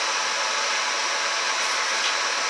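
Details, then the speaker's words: Monport GP 30 fiber laser just after power-on with the E-stop released: steady airy hiss, slightly louder, with no deep hum; cooling fan running normally. "now you can hear the laser came on and it is a little bit louder"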